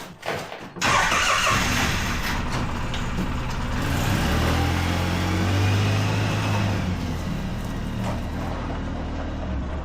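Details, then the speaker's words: 2009 Polaris Ranger after drive shaft U-joint repair: engine starts, idles steadily and backs out of the garage smoothly; the drive shaft clanking present for years is gone. "I can tell you already just backing it out of the garage, it's uh better. the uh you don't hear the drive shaft clanking."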